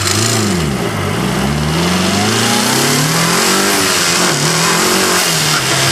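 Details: Engine revs rising and falling with a heavy, uneven knock following revs, recorded by an engine-bay microphone; first suspected a bad lifter, turned out to be a rod bearing and cracked crankshaft.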